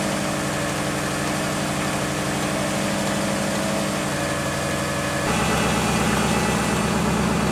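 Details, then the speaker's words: Subaru engine with only the top end refreshed (head gaskets, timing), bottom end not rebuilt; steady idle with light regular tapping, owner suspects early rod knock, unconfirmed, before trying Lucas oil stabilizer. "But the engine has developed a knock. I did not rebuild the lower end, the bottom end of this engine when I refreshed it."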